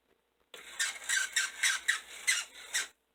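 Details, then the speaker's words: Old model locomotive (060) motor after adjusting the brushes: high, rapid chirping squeal pulsing about four times a second; dry bottom bearing needed oil. "hmm sounds like an angry chipmunk there we go that's what it was all right i've got to put a little oil in the bottom bearing"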